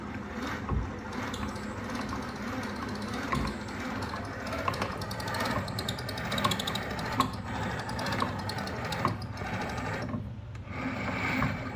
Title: Old Town PDL Drive loud squeaking noise (2017)